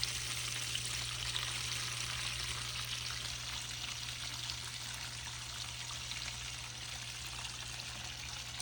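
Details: GE dishwasher that would not drain, now draining its full tub. A steady low pump hum under a loud rush of water being pushed out, even and unbroken; the drain pump is working normally.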